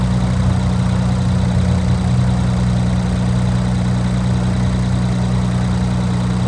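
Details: Infiniti Q50 3.0t (VR30) with FBO tune, just after installing new Alpha intakes and reconnecting sensors: steady, even low idle drone with no misses, knocks or whistles; engine runs smoothly and sounds healthy.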